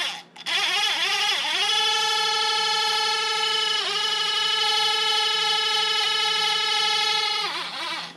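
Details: Used failed Bosch electric auxiliary water pump from a Mercedes Sprinter T1N, removed and run on a 9-volt battery on the bench, dry: high chirping whine rising to steady pitch, dipping briefly once, then holding; it runs.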